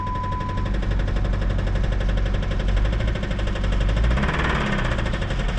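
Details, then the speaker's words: 2007 Jeep Compass (possibly 2008), about 156,000 miles, bought as running and driving, jump-started for its first crank: heavy, rapid, deep knocking about four times a second over a rough idle. Owner suspects rod knock, possibly a spun bearing. "oh she's got a good knock man let's go ahead and check this thing out definitely sounds like she has a road knock guys so i'm gonna guess this engine is pretty much garbage"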